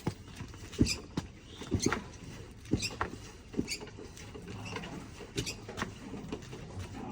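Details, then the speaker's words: Suspension of a new 2025 Sahara motorcycle at 359 km, noise starting around 200 km: irregular sharp clicks and small squeaks as the suspension moves, engine off; cause unknown. "Tá fazendo barulho já. Moto 00 começou aí com uns 200 km já mais ou menos."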